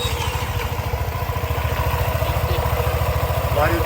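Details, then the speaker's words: Voge SR4 scooter at its 15,000 service after about 12,000 km, idling after the variator was cleaned and the slider guides were reworked; an even thump of about 3.5 beats a second with the previous rattle gone. "sesi yok taka takaa yok haldeki gibi şu an sessiz çalışıyor Belki bir tık daha iyi oldu hatta o sıkıştırma olduğu için"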